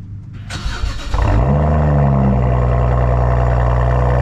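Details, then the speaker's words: Car sat six months on a driveway, bad battery replaced with fresh one, muffler delete: cold start, starter cranks briefly, catches and settles into a loud, deep, even idle through open exhaust; clean cold start. "before we go for a ride you got to hear this cold start you guys are about to hear a cold start on a fresh"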